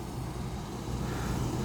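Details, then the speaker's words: One-month-old Trane packaged A/C unit, 103–104°F outside; compressor had overheated with open windings until cooled with water, then restarted: steady heavy hum with rough uneven rumble, not pumping, pressures unchanged. Suspected shattered internal scroll blades, unconfirmed. "And I've heard there was like an email or a bulletin put up or something saying that essentially the corkscrew inside, which is the blades that spin, that they are shattering."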